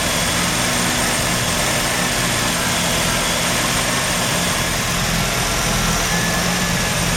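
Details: Mazda RX-7 rotary, failed annual inspection with very high CO (2.70): steady idle with uneven shaky low pulse, beats dropping out irregularly, under hiss; misfire worst with slight throttle; no oil pressure shown; ignition leads already measured; cause not yet found.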